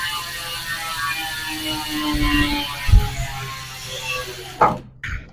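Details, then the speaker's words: Hassns Pro 7 rear hub (six pawls, three teeth) on 700x25C road wheelset, tyre inflated: fast even freehub ratchet buzz, high and bright with a deeper body underneath; normal, healthy freehub. "Okay, so ganun yung tunog niya guys kapag may goma. Matining siya pero medyo may lalim na tone."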